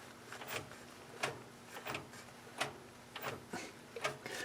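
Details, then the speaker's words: 1965 Mustang six-cylinder, engine off with the crank rocked by hand during an HEI distributor install: a dull clunk about every second. The timing chain has a lot of slack, likely why the engine is hard to time. "Listen to how much slop's in this timing"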